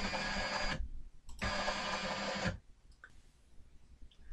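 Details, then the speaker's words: Sainsmart 3018 PRO CNC stepper buzzes coarse and gritty on two X-axis traverses at a GRBL max rate ($110) of 2900, the speed where it starts to struggle. The rate was therefore reduced to 2300. "So we've got the speed up to 2900. I don't know if you can hear it on the camera, but it just starts to sound a little bit rough when it's traversing each way."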